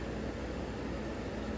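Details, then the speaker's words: 1994 Hunter Comfort Breeze ceiling fan, 32 years old: soft steady airy hum with even low rumble, no ticking, rubbing or grinding, no wobble, no bearing noise; quiet healthy motor, though speed settings differ little. "This fan has no bearing noise versus the Hunter that I just reviewed at my mom's house. And this fan is 32 years old."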